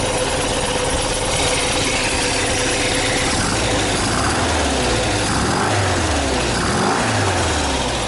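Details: 1979 VW bus air-cooled flat-four rebuilt with twin Solex 44 carbs, big heads, Scat 35 cam, 2100 kit, J pipes, secondary fan oil cooler, about two years after conversion: steady even idle with smooth chuffing exhaust and fan whir, no misses or knocks; normal idle.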